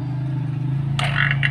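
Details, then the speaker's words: Vacuum pump evacuating a refrigerator, running on after reopening: an even low hum with no sputter or gurgle, a brief handling rattle partway; the sound stays unchanged, so no leak, fridge declared normal. "Ya ini suara bersih ya tapi kalau aku saya buka ini takut suaranya berubah atau masih sama saja bagi masih sama seperti ini berarti operasi ini tidak ada kebocoran"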